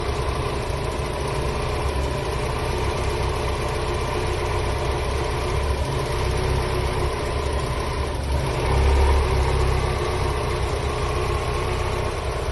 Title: 1993 Miata very rough idle after cleaning throttle body